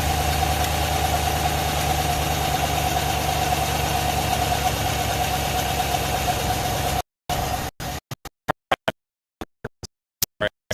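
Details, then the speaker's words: Engine at idle, uneven loping misfire with an intermittent clunking tick, not the exhaust; owner suspects internal damage, unconfirmed. "it's misfiring like you wouldn't believe um all right so you can hear it Miss oh well you know what it's ticking really bad it's clunking in there there's something wrong"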